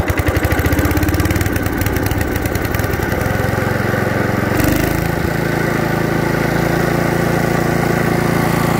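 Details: 1989 Hayter 21 Osprey orchard mower, 5HP Briggs & Stratton 132922, cold first start after new fuel pump diaphragm and cleaned starter ratchet, choked: single-cylinder catches and settles into a steady, even idle with no misses or knocks.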